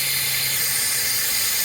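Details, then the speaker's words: Truck air brake system with the air governor constantly cycling: steady airy hiss from an air hose cracked at its end. Fixed by cutting off the cracked end and reinserting the hose. "I found that this hose was actually cracked on the end."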